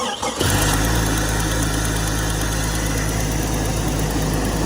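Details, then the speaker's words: Old Jeep that died running rough at a drive-through (owner suspected crank position sensor), restarted on a chilly morning after an easy fix, fuel pump not needed: brief crank, catches quickly, steady even idle, smooth low rumble, no misses; normal start and idle. "oh no the old girl fired right up so that is good that's good to know today"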